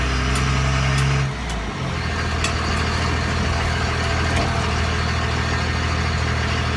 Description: 2001 Ram 2500 5.9L 24v Cummins HO 6spd NV5600 weird ticking noise coming from rear end... Help me figure it out please!